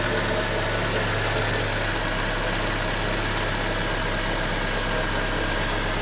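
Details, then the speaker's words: Nissan Note/Tiida CR14DE 1.4 engine after the valve-clearance fix, which swapped four worn lifters for thicker ones (gaps were 0.40–0.50 mm, now 0.34–0.38 mm): steady, even idle with a smooth low hum and no top-end tapping. "Толкатели поменены, в данном случае 4 штуки. И вот можно теперь послушать, как будет работать двигатель."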